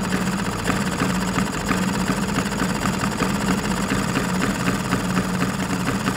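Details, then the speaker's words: Vespa PX tuning engine at idle after needle and emulsion tube were set (mixture 0.8–0.9): a busy two-stroke beat whose speed drops as the idle mixture screw turns in and rises again as it turns out. "In our case I was turning the screw inside the carburetor body and then on a certain point the engine speed was going down. Then I turned the screw out of the carburetor body and the engine speed rose again."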